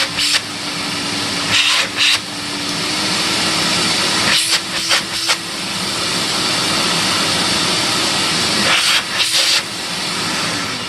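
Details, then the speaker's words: Compact TriStar C8 vacuum, reassembled after Ametek motor bearing replacement and greasing: strong, even high-pitched air rush with a steady motor note and a few brief dips; runs smooth and healthy. "really nice okay one Tristar done now I guess I got to do the other one"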